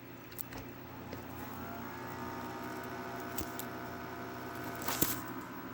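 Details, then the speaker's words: 6ft fiber optic Christmas tree base fan, formerly nearly silent: faint steady whirring hum with a thin tone above it, running noisier than it should. "it is making a good bit of noise this is tip this thing used to be like dead silent to the point where you couldn't really hear it at all but it does make some noise"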